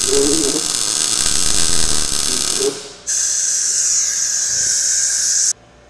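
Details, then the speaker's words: Blue Demon BLUEARC 140MSI 110V 140A MIG-stick inverter with synergic auto voltage, wire speed backed off after wide open proved too much; steady even sizzling arc with constant hiss, no popping or sputtering; normal well-set MIG arc. "I got her dialed in now I actually had to back off the wire speed a little bit I've tried it wide open it was too much"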